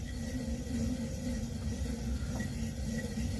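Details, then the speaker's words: Vintage Shimpo RK2 pottery wheel motor spun by hand: rough, steady rumble with faint high squeaks as it coasts; bearings really squeaky inside, worn and dry, motor to be opened and bearings replaced. "so they're like really squeaky inside of there and I need to open up this motor and replace the bearings inside"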